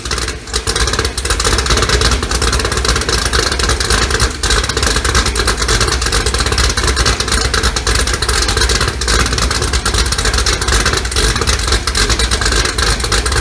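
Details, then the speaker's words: 2018 Gen 6 Hot Wheels Camaro, LME 416 stroker pushrod V8 with D-1X ProCharger, Holley port injection, ported heads, big blower cam, first start on break-in oil: loud deep choppy lumpy idle, steady; healthy big-cam lope. "we got the hot wheels car running and it sounds great choppy idle you know it's got a big ham in it"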